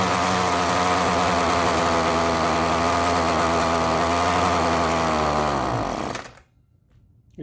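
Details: Ryobi RY251PH two-stroke trimmer, cold engine, before the carburetor replacement: a high buzz holds steady, then revs sag and it dies completely once off throttle. It has no low-speed adjustment. Stalling at idle, likely from a faulty carburetor.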